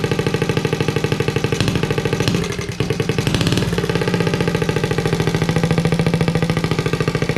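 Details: Honda Z50A Monkey bike with a CR70 stator and original flywheel, warming up after first start, manifold not connected to the silencer: loud, crisp, even pulses at roughly three a second with one brief rev; rough-edged but steady and healthy.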